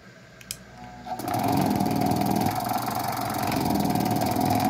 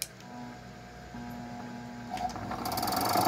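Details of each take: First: A 220V gate motor run on 127V mains with its capacitor doubled starts after a faint click and settles into a steady hum with a light drive rattle; it runs normally, not at full power but with improved starting. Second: 220 V electric gate motor fed 127 V with its original, now undersized capacitor: a steady low hum as it strains and barely turns, starting only with a hand push and still weak.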